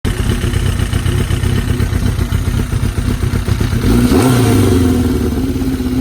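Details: Suzuki GSX-R750 four-cylinder motorcycle engine revving with an uneven, lumpy beat and some clatter underneath; owner suspects a vacuum leak, unconfirmed.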